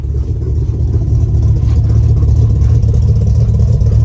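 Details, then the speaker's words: Nissan Maxima 4.1L stroker with JWT cams, ported heads and Holley Hi-Ram intake, on E85, first start after build, heard from the rear at the exhaust: deep, steady, slightly lumpy idle, even beat, no knocks or misses; healthy engine, aggressive cam. "All right, guys, so as you guys can hear, the motor is running. Sounds healthy. Bring you guys around back real quick so y'all can actually hear the exhaust and hear the cam that's in it."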